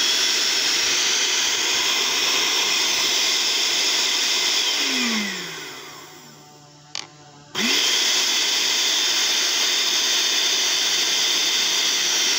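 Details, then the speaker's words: Blender that only ran briefly then cut out due to a faulty module, after repair: high steady motor whir that winds down, pauses, then spins back up smoothly; running normally again. "sudah nyala ya ini yang nyalanya betul-betul sekarang"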